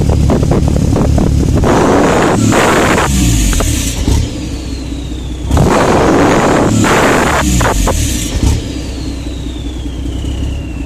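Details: Diesel truck with new injectors and unit pumps, EGR and DPF deleted, no codes: runs rich with an irregular stumble at part throttle, clearing at wide-open throttle; part-throttle misfire, cause unknown.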